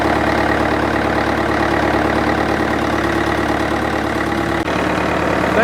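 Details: International 554 diesel tractor, not run for about 5 years, restarted: the diesel settles into a steady, even idle with no knocks or misses; it sounds healthy and runs smoothly.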